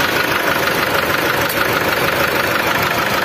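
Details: Old Mitsubishi Triton diesel idling: a harsh, clattery tone with a slightly uneven pulse of about two beats a second; it runs rough, lacks power, and puts out white smoke that smells of fuel.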